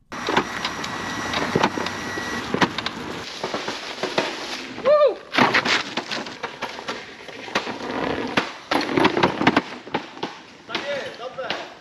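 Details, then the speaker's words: Begode Hero electric unicycle while riding, about 700 km: sharp irregular clunks each time the suspension damper hits full extension, which happens often because of little travel headroom; it tops out with no soft stop. "the thing is that there isn't so much headroom to extend the piston so if you're riding on a hero most of the time you're very close to the damper being fully erected sorry extended and then instead of having a mechanism that makes this extension soft there is like a rather strong clunk in this geometry take a listen"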